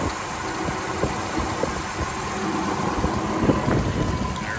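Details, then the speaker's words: 1978 Ford F-150 Ranger, 300 inline six, 4-speed manual, 2WD, new muffler: steady low idle, even firing, no knocks or ticks over outdoor noise; runs like a watch, normal healthy idle. "I said runs like a watch."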